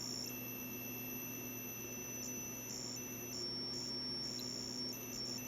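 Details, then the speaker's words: ALR PowerFlex 386 motherboard with battery-corroded traces, touching two eaten connections: faint high-pitched beeps in irregular short bursts over a quiet hum; trace is open despite earlier continuity, likely open at a via, leaving a floating address line. "there's a problem there even though i was getting continuity here what's the problem here something's wrong that's open"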